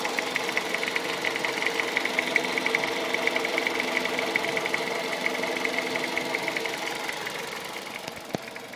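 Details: 2001 Toyota Avensis 1.8 VVT-i, 1ZZ-FE petrol engine idling with a sharp, steady tick over it, a few ticks each second; owner asks what causes the ticking.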